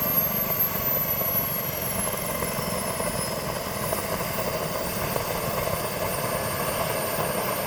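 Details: Wren turbine in a new Longranger model helicopter, restrictor already replaced: steady roar with falling whistle and faint ragged crackle, spitting at low throttle but fine with more throttle; expert teardown found issues, sending to Turbine Solutions.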